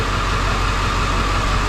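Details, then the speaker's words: 2007 Ford F450 with swapped-in 7.3 Powerstroke diesel at idle after replacing the under valve cover harness for a cylinder 5 miss; check engine light returned but shake gone. Steady, even clatter with no stumble. Normal idle. "Oh, that's a lot better. So, it did come back on, but the shake is gone."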